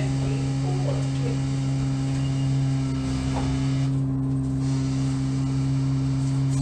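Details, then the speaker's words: Aged Orion VII CNG transit bus 5940 on Route 54, heard on board: a loud, steady low drone with a strong buzzing hum that doesn't change; the buzzing sounds worrisome, as if the bus is dying, cause unknown. "This one sounds like it's dying, so it's probably gonna be retired soon, like the rest of the Orion 7s, but it seems like it's her time to go."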